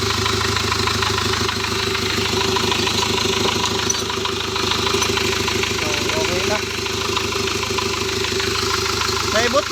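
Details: Hyundai Porter D4CB CRDi diesel after fixing immobilizer crank-no-start: steady idle with even injector clatter, no stumbling or hunting; running normally.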